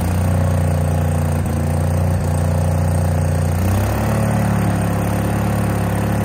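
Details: Case 1816C skid steer that sat in a barn 10+ years, clutch-engage lever thrown: even, steady engine drone deepening slightly as it takes up drive and moves off; normal running and driving.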